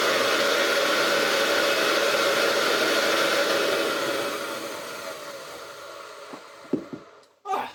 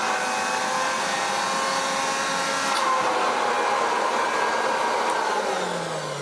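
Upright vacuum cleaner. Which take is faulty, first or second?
first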